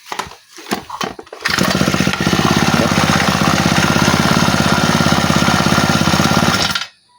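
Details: Honda GX35 grass trimmer, after replacing the carburetor to cure hard starting and misfiring: fires on one pull and settles into a crisp, even buzz with no misses or hunting; normal running.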